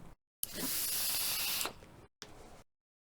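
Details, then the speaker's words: Geek Vape Griffin 25 sub-ohm tank with top airflow open: a soft, even one-second hiss on the draw with no whistle or rattle, extremely quiet, top airflow gives the flavor; normal quiet airflow. "extremely quiet and the top is where all the flavor comes from"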